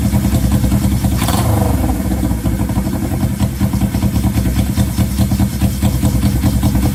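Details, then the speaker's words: 1970 Honda CL350 sitting 42 years, first start with choke on. The old twin holds a steady, even beat with crisp exhaust pulses and no knocks or misses. Idle hangs when revved; owner suspects a vacuum leak or sticking throttle cable. Runs healthy. "oh it's running good"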